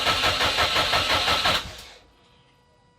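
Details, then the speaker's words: Subaru Impreza after full rebuild, first start attempt after three years: even starter cranking about three turns a second for a second and a half, never firing; crank no-start. "my heart is going crazy are we ready well it's not starting"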